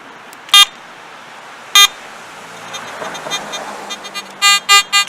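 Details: Garrett AT Gold metal detector after taking apart and reconnecting its connectors: sharp irregular high beeping bursts with no target; erratic chatter changes when the ground wire is moved, poor ground connection suspected.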